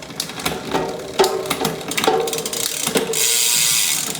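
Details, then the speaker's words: Trek 1x hardtail MTB, unserviced 5–6 years, mismatched 10/12-speed drivetrain, before service, on the stand: ratchety clicks and sharp metallic clunks as gears are run through; shifting feels very stiff and hesitant, only kind of works. "Very, very just feels so stiff. Kind of works."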